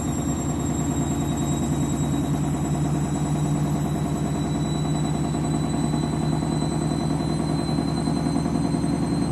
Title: Candy Washing Machine - New Clothes - final spin ramping up strange noise